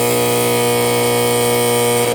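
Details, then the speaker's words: Frymaster FPEL314CA 2015 electric fryer (208 V three-phase): loud, harsh, steady electrical buzz for two seconds, then cutoff, from the heat contactor whose coil is stuck while the fryer cycles; contactor must be replaced. "You can see it's making bad noise because of the coil. The coil is stuck."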